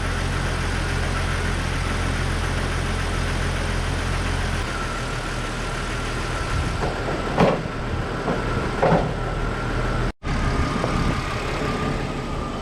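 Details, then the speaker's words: Jeep Cherokee after re-plugging the crank sensor connector: steady, even low idle with no surging or skipping, a few tool clinks over it; engine runs smoothly after a crank sensor no-start. "All right, guys, this is what we got. The vehicle is running. It's running really good right now."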